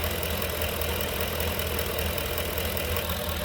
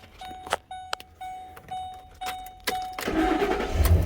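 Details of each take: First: 2011 Ford Expedition 5.4L 3-valve V8 with over 200,000 miles, idling with the drive belt slack to rule out accessories: steady even idle with no knock; engine itself sounds normal. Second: 2011 Ford Expedition 5.4 three-valve V8 with over 200,000 miles, about 2 quarts low on oil, seized A/C compressor: cranks, fires and idles with a rough, regular knock about three beats per second; engine knocking at idle.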